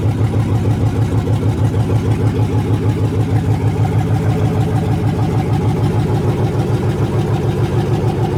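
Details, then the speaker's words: 1980 Chevy C20 with a swapped 4.8L LS V8, first fire-up after the swap: loud, lumpy but even idle with steady deep pulses through open manifolds. No misses or knocks; it runs healthy and started as it was supposed to. "well guys that felt pretty good it fired up just like it was supposed to"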